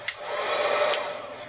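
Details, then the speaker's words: HG-300D two-speed heat gun, 5-6 years old, already warmed up, with hard first starts suspected mechanical: steady airy blow with a thin constant high whine on top; fan motor whining, possibly dry bearings. "I'll hold this up near the camera and we'll see if you can hear the kind of whiney nasur stretchiness of the motor above the normal loud blowing"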